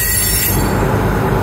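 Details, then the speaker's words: Rail car wheels rounding a curve give shrill, sustained high squeals at several pitches over rail rumble. Wheels worn to varying profiles make the different pitches as the flanges rub the rail. "on the wheels cause the different pitched sounds on the trains going through curves."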